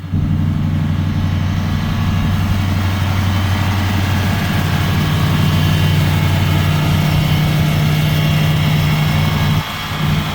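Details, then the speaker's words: 1990 Chevrolet Caprice daily driver before power steering hose and vacuum line repairs: steady even low idle, smooth rumble, no knocks, misses or hunting; motor runs really good, normal idle. "So let y'all check it out and hear it. Motor runs really good."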